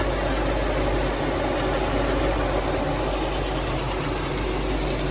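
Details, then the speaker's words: Car with new fabricated fan shroud fixing overheating, idling as temperature rises: even smooth idle with steady whoosh as load-sensing fans kick on more, no knocks or ticks; normal. "Now it's starting to kick on a little more. And that's because we're at idle? Like that? Because we're at idle, so it's getting hotter? Load on it, basically."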